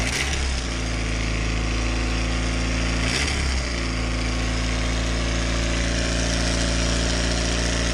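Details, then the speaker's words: Mazda MX5 after exhaust manifold gasket replacement and bolts retightened: slightly uneven idle with loose, irregular puffing tick about four per second, leaky sound persists; exhaust leak near manifold suspected. "yeah so yeah basically start it up and it's still like felt that leaky sound like sounds like [ __ ]"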